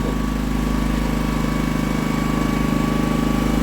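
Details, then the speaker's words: Scrap auction Honda small generator engine, no new parts, just started on the first pull: runs smooth and regular at about 194 pulses a minute with steady pitch; normal running. "oh yeah look see if she runs that is phenomenally nice"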